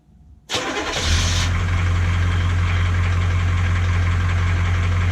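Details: 1982 K20 Suburban diesel 4WD 3/4 ton, on new batteries after sitting 3+ years: it cranks briefly, catches at once and settles into a steady, even diesel idle with no obvious knock or misfire. The previous owner suspected a blown head gasket.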